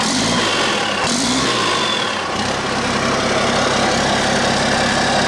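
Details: Cummins 8.3 (505 cid) diesel in a Hyster, just refitted with a larger HX55 turbo with 11 cm housing, intake not yet plumbed: catches and settles into a steady, even idle with a strong rush of air; runs clean and healthy.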